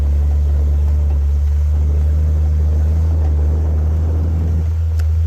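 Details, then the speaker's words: Jeep XJ crawling slowly off-road in snow: heavy low engine rumble with uneven dull thumping underneath, the exhaust bouncing on the underside from a broken hanger. "if y'all can hear that thumping that is uh nothing to be nervous about that's just the exhaust bouncing on the bottom we got a hanger broke"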